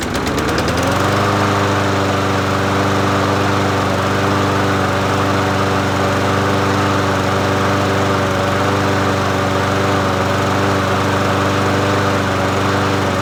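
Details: Murray 22-inch push mower 22526x92a, bought used, after priming and reconnecting the spark plug; small single-cylinder engine starts quickly and settles into a steady, even fast putter with no misses or knocks; running normally.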